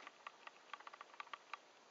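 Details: Faint, sharp, uneven clicks, about five per second, like a teletype or Morse key over a quiet background, present in every video from this camera in July 2010; not the zoom, cause unknown.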